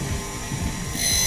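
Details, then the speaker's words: Electric water pump running while cover bolts are adjusted; motor hum with pulsing low rumble and thin high scraping hiss; impeller rubbing on overtightened pump cover, fixed by loosening bolts until noise disappears. "ini ada bunyi ya ini bisa kita kendori bautnya nah sampai bunyinya hilang lalu yang bagian lainnya juga nah ini gesek ya ini bisa kita kendori"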